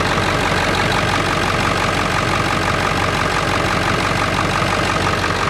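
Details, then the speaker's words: 1999 Ford F350 with the 7.3L PowerStroke turbo diesel: a deep, steady clatter at an even idle, no misses or surging and no smoke; a healthy diesel. "I'll give it to the old girl man it ain't pretty but damn she kind of sounds like a tank doesn't she"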